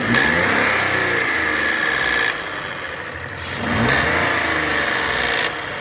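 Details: Renault Sandero/Logan 12V three-cylinder engine rising and falling with the throttle, a hard metallic rattle over the revs; noise source uncertain, not confirmed; abnormal engine noise.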